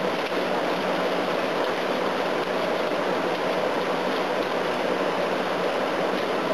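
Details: A/C unit on high fan, leaves inside, coils damaged and jammed into the case: even, steady rushing airflow with no rattles, knocks or squeals; fan running normally and the unit is cooling.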